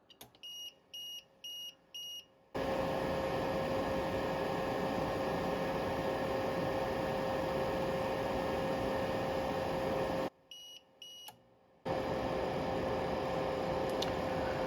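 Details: Tripp Lite Smart LCD 1500 UPS after battery replacement, running a battery test at 97% charge with the fan audible. Four evenly spaced high beeps, a steady loud hum with a clear tone, then three more beeps; a normal self-test.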